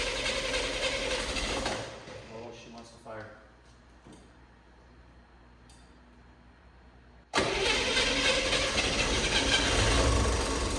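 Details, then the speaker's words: Engine started on old spark plugs after checking spark: after several cranking tries it catches and a loud, harsh rattle runs over the idle; owner hopes it's the fan, not valve train, unconfirmed. "yes did you see that sounds rattling Fierce I think it's the fan I hope it's a fan not the valve train or something more serious"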